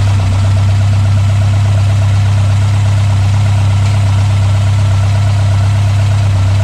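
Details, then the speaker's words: Mk1 Ford Escort Pinto engine, Weber 40 DCOE carbs replaced by Jenvey throttle bodies and MaxxECU Street, after first start, throttle balancing and base timing set: steady even low rumble, no misses or surges; stable idle. "Right, we've got a working, running Mk1 Escort. It's got to sit there with a sensible idle."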